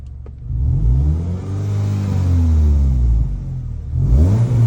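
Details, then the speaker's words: Car engine after removing the clogged catalytic converter, revved: note sweeps up cleanly and falls back without strain, free open exhaust with no choked breathing, previously restricted; no fault code shown; free-flowing exhaust. "Ang ganda ng tunog mga automotive. Pakinggan nga natin. See? Dati pigil yan mga automotive."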